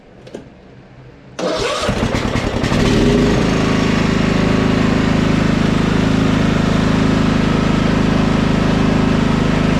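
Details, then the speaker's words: Husqvarna LT 1538 riding mower with Kohler CV15 engine, run after charging the dead battery; steady idle begins to waver up and down (hunting), suspected fuel/carburetor dirt; reportedly it mows a while then quits. "sounds like a fuel to me now it started hunting"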